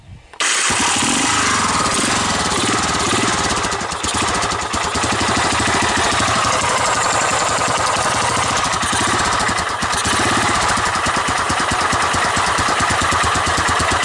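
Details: 1985 Honda ATC 250SX Astro with replacement carburetor after wiring repair: catches at once and settles into an even quick single-cylinder beat with no misses; started easily, runs healthy, no smoke.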